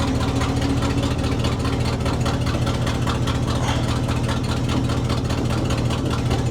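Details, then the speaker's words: 1967 Ford/Seagrave fire truck running from a gravity-fed auxiliary tank straight to the carburetor, original fuel pump still unchecked: even, loping idle pulsing a little over twice a second with a deep steady rumble and no stumbling. "Well, it's running. I don't know for how long."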